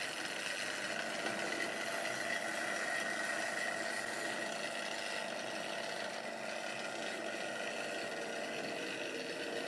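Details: Wrenn West Country class model loco Lyme Regis, not run since the 80s, after joints greased and reassembly: smooth, steady motor whir with even hum, no catching or rattle; runs freely.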